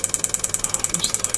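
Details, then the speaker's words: Relay module on a +5 V supply, driven by a signal generator at about 10 pulses a second or a little more: crisp clicks in a steady, fast rattle; normal relay switching at a high rate. "This is blinking once a second, and if one increases it, that's 10 times a second."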